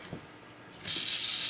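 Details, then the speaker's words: New Comfort Zone 9-inch cradle fan, low, medium and high speeds: steady gritty high-pitched scraping hiss with only a faint motor hum, not loud; something rubbing inside. "And in addition to not being loud, there's some kind of grinding, scraping, scratching sound coming from it, which is unpleasant."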